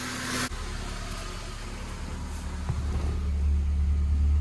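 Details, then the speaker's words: Honda K24 just after head gasket replacement, first start, warming up with some coolant in the oil: quiet steady idle, even low hum and smooth regular pulse, no knocks or ticks; healthy idle. "But other than that, I'm gonna start it up and see if everything's in time and everything's running good. And all right, I got it running."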